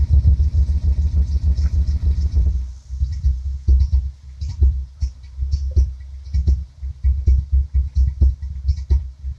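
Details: Mustang petrol engine starts and rumbles strongly, then drops off and stumbles unevenly, won't hold idle and dies; owner sure it's a vacuum leak under the intake after chasing a fuel issue, smoke test planned.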